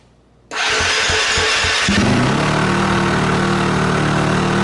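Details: KTM 250 SX-F first start after rewiring: starter whirrs about two seconds, then the single fires and holds a steady, even idle with no knocks; sounds healthy.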